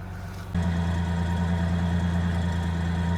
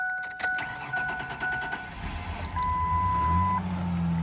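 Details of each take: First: 2000 Ford Ranger XLT, long-sitting farm truck, engine reportedly replaced about a year before the owner's passing, first restart: steady even low rumble at idle once settled, no knocks or misses; sounds pretty good. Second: 2000 Ford Ranger XLT pulled from a farm field after sitting a long time, on the third start attempt after the still-armed alarm was deactivated: alarm chirps, short crank, then it catches and settles into a steady, even idle.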